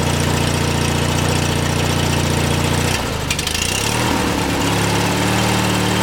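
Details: 18 hp Briggs & Stratton lawn tractor single-cylinder engine, after replacing a sheared flywheel key that caused weak spark and misfiring: a steady, even beat with a brief speed dip, then smooth running without misfires.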